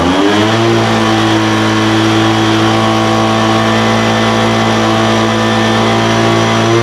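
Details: Poulan Pro 200 mph two-stroke leaf blower, received as a non-runner, after carburetor adjustment: idle mixture leaned out from too rich and top end tuned. Picks up and holds a steady, clean high-pitched buzz with no surging or stumbling; running normally.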